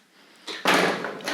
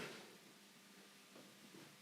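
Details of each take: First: Tri-ang Hornby model railway point with a single point motor being thrown: a harsh, crunchy clunk that drags rather than snaps over and needs a lot of pressure to throw. Continuity is fine; the owner fitted a relay. Stiff point mechanism. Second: Tri-ang Hornby model railway crossover point motors being thrown after a retry, having first failed, with loose cabling suspected. Quiet room with sharp solenoid snaps a few seconds apart; each throws cleanly and fully. Normal point motor throw.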